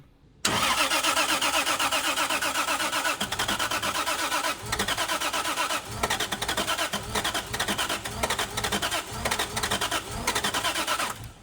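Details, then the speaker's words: 2JZ-swapped Hellcat on its first start attempt, with the FuelTech FT600 ECU and the fuel system just installed. The starter cranks at about four beats a second with faint attempts to catch but no firing. It cranks but won't start and needs more fuel. "What? She need more fuel. More fuel. I I just I just watched the engine start fueling."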